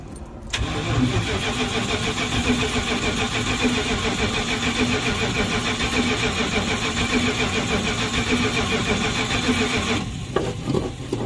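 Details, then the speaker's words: Big-block V8 Sweptline truck after a cam swap and new intake gaskets, first crank to fill the carburetor, open exhaust not hooked up: short crank, then loud, steady, lopey idle that stays even; normal cranking and start. "so let's crank on this thing, get fuel in that carburetor, and see what this thing sounds like with open exhaust, because I also don't have that hooked up yet."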